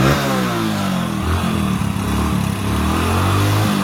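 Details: Hero Splendor Plus single-cylinder engine after full rebuild for connecting rod knock: running steadily at a low, even pace with no deep bottom-end knock; only a light valve tick from loose valves and timing chain.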